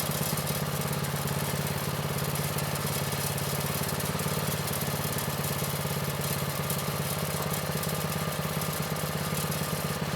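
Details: Vintage Manco Streaker mini bike, repowered with a Predator 212 6.5 hp engine, unrun for years; drive disconnected, idle raised from too low. Single cylinder holds a steady, even pulse at fast idle with no stumbling or knocking; running well.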